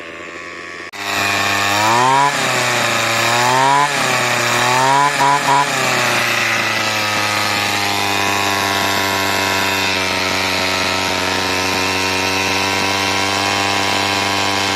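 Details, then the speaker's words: RedMax two-stroke weed eater, sat about 20 years, fitted with a new carburetor: high buzzy note surging then holding high speed, heavy vibration, knocking, won't idle; owner suspects very low running compression. "Man, this thing vibrates so much. Yeah, it don't run quite nearly as well as I thought."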